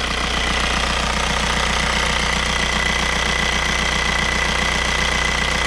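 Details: Skoda Octavia 1.9 TDI 110hp after injection pump replacement and injection timing adjustment for hard starting. Even diesel clatter at about two and a half beats per second, holding steady with no hunting; idle is stable and healthy.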